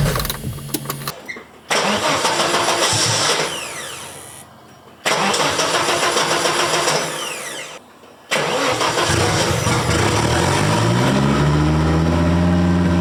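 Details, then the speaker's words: 1983 Audi Quattro turbo five-cylinder on first start after rebuild, with new turbo and refreshed head: harsh, stumbling crank bursts cut off twice before it catches and idles. Ignition timing was too advanced and was later retarded. "I must say it wasn't perfectly easy though. I had to pull some timing out of it, and I knew that that needed that because I could hear it firing too early, and"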